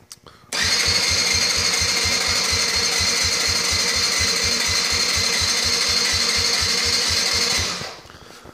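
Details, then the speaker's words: Borrowed ATV with new battery, spark and plenty of fuel, choke fully on: starter whirs with even chugs about three per second that never catch; cranks but won't start, low compression from tight intake valve lash, fixed by setting lash. "just cranks and cranks and cranes and doesn't really start choke is all the way over here"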